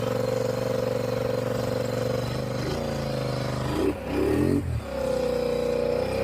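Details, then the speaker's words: Polaris Sportsman (850 per title, 570 per speech) after new spark plugs and plug wires fixed its misfire: steady, even engine note that picks up cleanly on a throttle blip with no stumble or popping; running right, more power. "Well, the parts came in for this Polaris Sportsman. New plugs, new wires."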